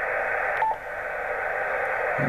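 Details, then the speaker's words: Jaycar MP3800 0–24 V variable switch-mode power supply near an HF radio (FT-857): steady hiss and rushing noise with a brief tone; 24 MHz and 21 MHz unusable, S9+ noise on 18 MHz, 20 m usable; switch-mode RF interference. "24 Meg's unusable 21 unusable 9 plus unusable on 18 and usable on 20 May there's a lot of noise actually coming down slightly"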